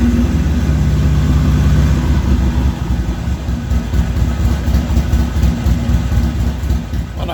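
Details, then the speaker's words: Harley-Davidson XR1200 V-twin, hot restart after a part was lubricated: lumpy fast idle hangs over 2,000 rpm at 98 idle steps and won't drop until throttle blipped; throttle position sensor suspected bad. "and as you just heard that fixed absolutely nothing went right up to over 2,000 RPMs 98 steps on there and would not come down till I blipped the throttle"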